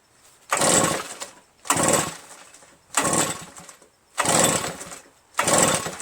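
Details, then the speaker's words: RedMax EBZ8050 commercial backpack leaf blower, reassembled from pieces, on choke: five pull-starts, each a brief spin dying away with no firing. Fuel, spark and compression checked, piston looks perfect; owner suspects carbon-stuck rings giving low compression. Cranks but won't start. "Right, I'm just gonna pull it a few times and see what happens, man. Does that sound normal? Does that sound right? It's on choke."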